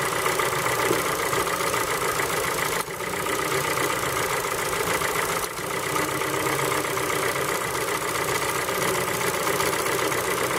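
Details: Ford Focus 3 with PNDA petrol engine at cold idle: a faint, uneven tapping over the engine note; cold knock present, source not pinned down.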